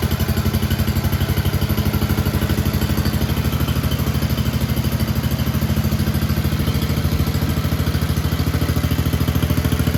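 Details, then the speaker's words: Red 1962 Bolens Ride-a-matic tractor, small petrol engine, after repairs, started on choke: even low thumping idle, steady beat, no misses or knocks; normal idle. "we are back in the workshop now uh because just after that last clip where it was running very well uh we stopped the tractor"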